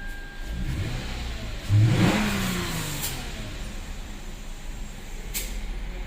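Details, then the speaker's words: Lexus IS petrol V6 after replacing a failed ignition coil, spark plugs already changed: engine blips up smoothly from idle and settles to a steady even hum; misfire fixed, normal. "رب العالمين رجع كل شيء طبيعي في الموتر"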